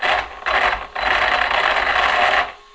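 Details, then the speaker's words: Stock Arrma Kraton 4S RC truck with stock motor and stock ESC. At steady throttle the high motor whine keeps cutting out and back in, then quits. Owner unsure whether motor or ESC; later confirmed as a faulty ESC causing the stutter. "you can see it's still got kind of got this weird stutter [Applause] i'm keeping the throttle in the same spot but it's doing doing that that's showing really what it's doing see"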